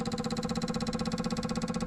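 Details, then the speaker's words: Buick GS with code P0440, a large evap leak, on an evap tester; rapid, even ticking of about fourteen clicks a second as the purge valve is commanded, while the tester pressure drops; EVAP purge valve clicking. "All right, so that's the purge valve moving, okay? And as you can see, the pressure here is dropping."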